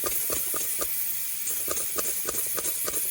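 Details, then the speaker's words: Car AC hard line that runs the vehicle's full length, pressurized with shop air to find the leak: a steady high hiss with faint ticking, whose pitch changes as a finger runs along the line. Refrigerant leak located. "there's a slight change in pitch when I ran my finger along the line."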